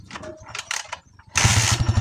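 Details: Honda TMX 155 single after a tune-up with valve clearance set: a few clicks, then it catches and settles into a steady, even low thump with no ticking on top; valve clearance sounds right.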